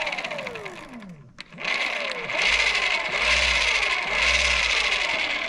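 High motor whine with sweeping pitch and a pulsing whirr, like something spinning free inside: motor drive is slipping. Cause suspected, not confirmed.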